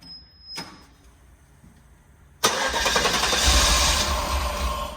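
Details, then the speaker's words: Guanci SSJ late-1970s mid-engine V8 prototype, first start attempt after 25+ years stored, intake manifold just popped: hard cranking at about two and a half beats a second with rough half-catching pulses; wants to fire but needs fuel; hard start. "Whoa, baby. Okay. It wants to go. He's ready. Just need that gas."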